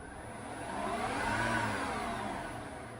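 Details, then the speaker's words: Mazda RX8 converted to electric drive, throttle blipped out of gear after battery fault repair; smooth whirring motor tone rising and falling with no grinding or knocking, motor healthy. "You can probably hear the motor as well. Fantastic."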